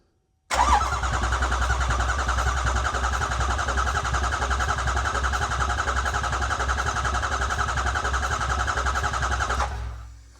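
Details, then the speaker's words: 2008 Ford E350 diesel with a mostly rebuilt engine, first start attempt after the fuel pump cycled and the starter was powered directly: steady, even cranking for about nine seconds with no firing; it cranks but won't start. Unplugging the ICP sensor is suggested next. "So, you can see we're cranking here. We're not going to burn this starter up hopefully."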